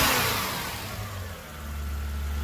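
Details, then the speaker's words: Toyota Soarer UZ V8 after fuel tank removal and repair of previous misfire: strong note dips and builds with no stumbles; now running evenly on all cylinders, no misfire. "all right here we go moment of truth we've got all the cylinders is it misfiring no because it was misfire like this eh bad"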